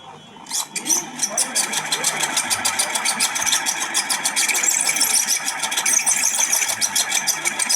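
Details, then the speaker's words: Ceiling fan running: fast steady chatter of high squeaky ticks with a loose rattle, a loud, annoying noise from a dried-out, worn fan bearing with a loose shaft. "প্রিয় দর্শক কত বিরক্তিকর একটি আওয়াজ আসতেছিল শব্দ হচ্ছিল মারাত্মক একটি শব্দ হচ্ছিল এই ফ্যান থেকে আপনারা শুনতেই পারছেন"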